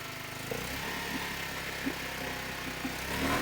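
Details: Mercury 5HP two-stroke outboard, first start test in water after replacing parts: steady, even buzz with a clean, constant pitch and no knocks or misses; running healthy.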